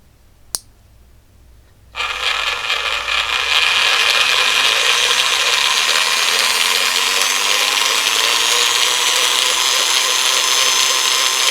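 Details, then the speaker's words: PWM DC motor speed controller module (5A 90W, 4.5-35V input) driving a geared DC motor at about 6V and 1.4-2.7A: the motor spins up to a loud, high whirring gear whine with a rising low tone, a noisy gearbox. "It's making a loud noise."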